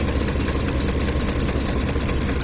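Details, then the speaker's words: Ford F-150 with 5.4L 3V Triton V8, hot engine at idle: fast even ticking, about seven per second, over a steady idle from the top of the engine, happening only when the truck heats up; timing chain suspected, not confirmed. "Sounds more like a chain problem. But then this only happens when the truck heats up."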